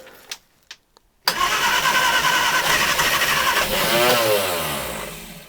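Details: Barn-find 1968 Reliant Regal 3/25 Super, first start in many years, after adding a little petrol: a few quiet clicks, then it catches abruptly and runs briefly, revs wavering before fading.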